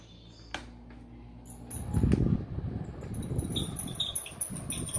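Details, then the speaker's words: Mondial electric fan that started making noise overnight: a low motor hum, then an uneven rattling scrape once the blades spin up, as if catching. The owner attributes it to the bearing. "Olha como tá o barulho dele. Esse aqui é a parte do rolamento, fazendo o barulhão que tá fazendo."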